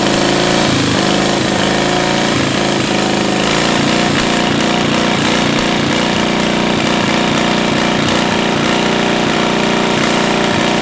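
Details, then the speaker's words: 700cc twin-cylinder military standard engine built 1987, long sitting, possibly never run, after spitting a mud dauber from the exhaust: catches and settles into even chugging about 220 per minute, no misses or knocks; normal idle. "That's a win. Holy moly. That's a win. >> Thing been sitting up since who knows what year."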